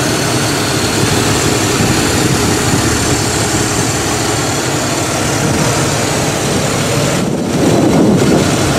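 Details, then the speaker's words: Carbureted Buick sitting unused for months in cold weather, idling: uneven stumbling beat about four times a second, persistent misfire worse with electrical accessories on; idle hangs high after revving. "still doesn't run quite right still has that misfire issue especially when any kind of electrical accessories are on"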